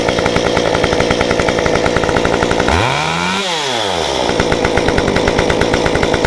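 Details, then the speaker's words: Stihl 193T climbing saw with muffler mod, ~8–9° timing advance, 93 non-E fuel, formerly stalled on throttle; restarted after sitting about 20 minutes, crisp even buzz, a quick rev sweeping up and dropping back cleanly, then steady running; runs normally. "But after we did the muffler mod and after I increased my octane, it actually started to run a little bit better. But when I did the timing advance, after that I never had a problem with this saw."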